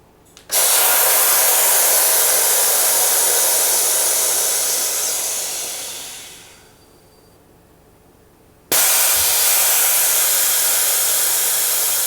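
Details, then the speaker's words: Salvaged DeVilbiss iFill oxygen pressure booster fed only 2.5 bar: loud air hiss fading as pressure builds, pause, another blast; it still reaches 100 bar (maximum 138), cycling normally. "So even with 2.5 bar we can reach 100 bar on the high pressure side, and the maximum is 138, so that shouldn't be a problem."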